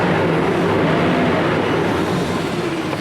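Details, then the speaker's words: 2007 Ford Explorer that would not crank after being parked (security issue), starting after the positive battery cable was disconnected about 20 minutes with key on: engine catches and settles into a steady, even idle with no misses; normal idle. "went back inside the car while the key was still on and you can hear that sound now and i try to start it boom starts right up"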